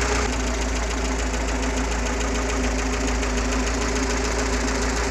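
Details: GAZ-69 with UMZ-421 engine after major overhaul (Kostroma piston group, contactless ignition, original carburetor, fuel pump and old intake manifold): steady even idle with a light regular patter, about 200 beats a minute, no loose knocks; healthy.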